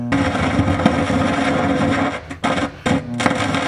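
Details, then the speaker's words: Williams System 6 Scorpion pinball speaker: turning up the volume gives loud static, hiss, crackle and a steady transformer hum that nearly bury the game sound; the owner suspects a filter cap, and the sound board is still to be repaired. "you turn that up and all you get is static i mean you can hear the sound in there"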